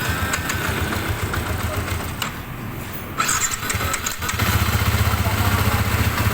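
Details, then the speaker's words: Sniper 150 first start after rebuild for excessive engine noise (stretched timing chain, rocker arm, water seal, bearings, piston, block replaced): a few cranks, fires, settles into a quick, fairly even idle with no knock standing out. Normal start and idle. "Ayan na siya. O na yung andar niya. Alr ayan umaandar na."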